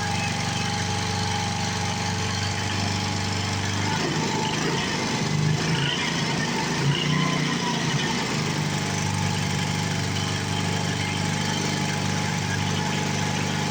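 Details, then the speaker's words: 7 hp Briggs & Stratton single, revived after 15 years in a shed, bolted to a board: steady, even drone that dips briefly and recovers, with no knock or miss and no smoke; runs healthy. "I just wanted you guys to see that I did get this thing running to the potential that it should."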